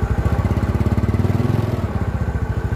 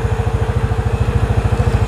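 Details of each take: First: Yamaha Mio Sporty scooter before repair, hesitating (mbrebet) when pulling away at low rpm: putter keeps sagging and dipping every few seconds before recovering; carburetor slide vacuum hole too small. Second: Yamaha Mio Sporty scooter after the carburetor slide vacuum hole was enlarged to cure low-rpm hesitation, recorded with external mic: crisp single-cylinder idle about eleven beats a second, no stumbles or skips; smooth and healthy.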